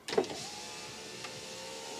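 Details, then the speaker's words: Land Rover Freelander power window after refitting the regulator mechanism with five bolts: single smooth, even motor whir for about two seconds, no grinding or binding, window travelling normally. "now let's do a quick test it actually works wrong window yeah looks good"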